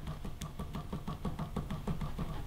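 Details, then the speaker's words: Sarto custom bike, Dura-Ace 9100/FSA crank spun by hand: rough low rumble pulsing each turn, rubbing feel; no lateral play so not preload, drive-side bottom bracket bearing believed collapsed. "the bearing on one side i think it's that side has collapsed there's no lateral play in it so it's not the preload that's causing it it's literally"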